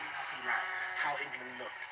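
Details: Vintage radio after repair: voices and music clean and steady, no crackle, hum or dropouts; playing normally.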